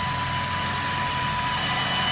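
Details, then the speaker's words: CoolFlow fan fitted under the right thigh on a 2015 Harley Ultra Limited, switched on manually after install: steady rushing whir with a faint constant tone, no rattle or ticking; normal fan operation. "yes she's running yeah she really uh moving some air here that's a pretty powerful little fan in there um see it's really sucking up in the top side so it sucks it sucks that way and blows that way"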